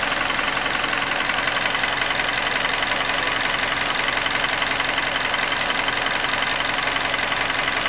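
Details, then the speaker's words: Hyundai Elantra G4NB, about 240,000 km, after engine rebuild for cylinder scoring knock, new thermostat and PCV valve: even, steady idle with light regular ticking, no knocks or misses; fully checked, ready to return. "Всё, готовим к отдаче автомобиль. Он уже полностью проверен, работает всё отлично."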